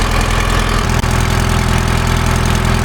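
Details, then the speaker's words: Grove crane sitting 10+ years, two-stroke Detroit diesel, cold start; steady, even low-pitched diesel drone with a fast regular beat and no knocks or misses; normal idle. "Well, listen to the old Detroit. We're see how she cold starts today. That's pretty solid. Hard to argue with that."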